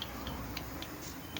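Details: 2022 Bentley with a no-start, no-crank fault: light, sharp clicks about four times a second with no cranking behind them, the starter trying to engage without turning the engine; cause suspected, not confirmed.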